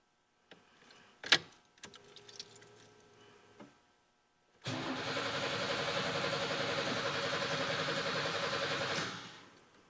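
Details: 3.4 L engine with no start, fuel pressure about 45 and compression just above 150 on the back three cylinders: starter cranks at a steady even rhythm for several seconds but never catches.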